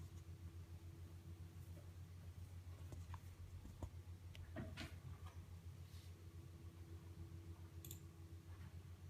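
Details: QNAP TS-419P II NAS with 8 TB of drives, under load only (silent at idle): quiet fan hum with uneven light ticking about three to four per second; possibly drive heads seeking, not confirmed.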